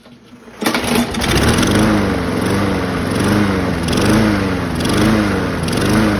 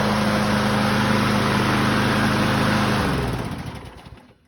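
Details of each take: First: 2004 Craftsman 917.374430 mower, B&S 6.75 HP (125K02-0371-E1), running after fitting a found spring on the linkage: speed rises and falls about every three-quarters second, surging; owner suspects dirty carburetor or the added spring, unconfirmed. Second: 2004 Craftsman 917.374430 mower, B&S 6.75 HP (125K02-0371-E1) primer engine, after repairs: smooth, steady buzz without hunting or surging, then winds down cleanly at shutoff; normal running.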